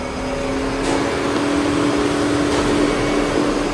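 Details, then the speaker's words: 2011 VW Jetta 2.5 with no engine ECU communication and a no-start, ignition on, engine off: steady electric cooling-fan whoosh with constant low hum; the fan switches on after a while and will not turn off. "І друга проблема, через деякий період у нас вмикається вентилятор охолодження."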